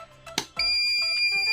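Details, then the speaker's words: Sukam Falcon inverter gives a steady, unbroken high-pitched long beep, its overload alarm, when switched on during repair checks. "एक लंबी beep की आवाज़ सुनाई देगी।"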